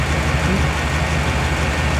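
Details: 2000 Chevy Tahoe LT 5.7L V8 after distributor replacement for a crank-no-start (out-of-time distributor, shaved gears), cam retard being set to zero degrees: low, even idle rumble holding steady with no miss, surge or knock; idling properly.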